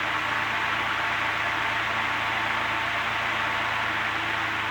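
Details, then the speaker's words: Antique Emerson 16-inch desk fan, type 73648, after wiring correct head wires and sorting speed control, running on low: steady, even airy whoosh, loud and fast, no scraping or knocking; motor healthy. "this thing is a turbine i'll put on low you're going to hear a lot of noise so just be aware of that look how fast that thing spins"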